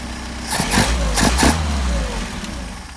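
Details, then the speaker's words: Engine on freshly adjusted Solex 44PHH carburetors, hot start using an improvised starter: brief cranking catches quickly into a smooth, even idle. The hot start is clean. "let me put this back on there we go it's a hot start"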